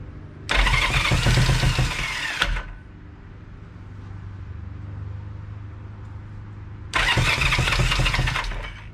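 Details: 1973 Honda CB350, sat outside 18 years, first bench start on electric starter with fuel on, choke on, valves and timing adjusted: two bursts of steady starter whirr, engine turning over evenly but never catching; starter clutch may need taking apart.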